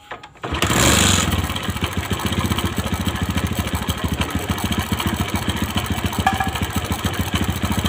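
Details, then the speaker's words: Motorcycle with slack cam chain, after a makeshift fix packing the automatic cam chain tensioner with a nut: catches and settles into uneven idle, three to four beats a second, with light chattering; cam chain rattle, likely hardened or cracked tensioner. "dan ada suara kricik kricik kricik itu biasanya di bagian acre tensionernya itu sudah mengeras atau sudah pecah-pecah"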